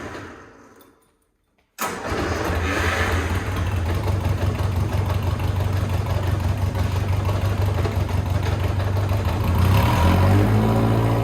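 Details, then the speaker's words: Lotus 7 Birkin S3, clutch stuck to flywheel, started in second gear with clutch down and brakes applied to jolt it free: engine fires and idles steadily, then a slight lurch and tone change as the clutch breaks free, avoiding engine removal. "that was it that was the moment the clutch broke free we don't have to get the engine out we've saved ourselves a little work"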